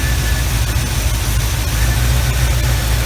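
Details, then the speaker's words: 1975 Chevy Camaro V8 at idle after fixing a skip from a cylinder not firing, now smooth and even with a steady beat, no stumble, firing on all cylinders; normal idle. "Alright, it's running good now."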